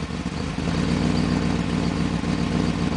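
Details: 1995 BMW 530i after a top-end engine rebuild, running rough from a vacuum leak: uneven, lumpy idle with irregular stumbles and a loose clatter instead of a smooth beat.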